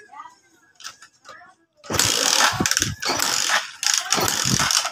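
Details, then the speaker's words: Motorcycle that only runs on choke: three short starter bursts with no firing when off choke. A lean mixture from a carburetor-side fuel shortage or intake air leak is suspected. "Bale ang issue nito nasa carburator so pag sinabing nagchoke lang aandar ibig sabiin kinakapos ng gasolina"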